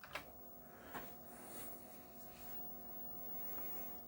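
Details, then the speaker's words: Commodore 1581 3.5-inch floppy disk drive loading Donkey Kong Jr. from an 800K disk: quiet, steady motor hum with a few sharp clicks and no audible stepping; normal loading. "if you can hear the drive can't hear it steppin it's just humming along and Donkey Kong jr. comes up"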